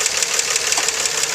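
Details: 2004 Nissan Maxima 3.5 VQ, warm idle after an hour's running, hood open, three weeks after timing chains and tensioners were replaced: fast, even light ticking up top; owner suspects lifter or valve noise in the upper valve train, unconfirmed.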